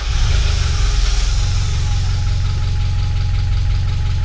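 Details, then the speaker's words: Freshly built Spec Miata engine on first start, oil pressure present and some oil smoke: a heavy, lumpy knock under a rough idle, far more than lifter tick. "Doesn't sound right. That's not good. That's more than lifter tick."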